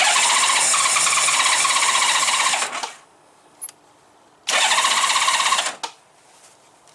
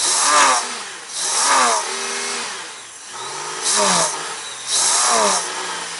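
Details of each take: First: Honda GL1500 Goldwing after carburetor clean and accelerator pump repair, cold start at about 32°F with some choke; two roughly three-second cranking bursts fail, third fires and runs; hard cold start needing more choke. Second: Honda GL1500 Goldwing after carburetor clean with accelerator pump and idle fixed, not warmed up, on choke; catches cleanly and revs up and down in four even blips; normal revving.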